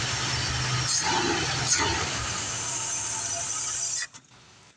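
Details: 1975 Ford F150 with a 351M pushrod V8, first start after replacing a broken valve spring on cylinder 3. It idles evenly with no ticking from the top end for about four seconds before shutting off, and sounds healthy.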